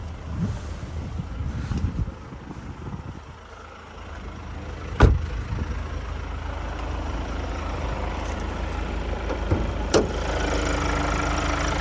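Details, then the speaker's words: 2020 Kia Carnival Platinum, last serviced at 96,000 km, heard under the open bonnet at idle: low, even idle, no knocks, rattles or squeals; healthy engine. "It's up motor, ticking over nicely, no knocks, rattles or squeals."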